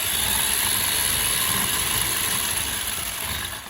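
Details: Arrma Big Rock 3S with a newly installed aluminum motor mount, run on the bench: a high whirring with rapid ratcheting chatter about four times a second, a rough gear noise with plastic gears and a tight spur mesh suspected, unconfirmed.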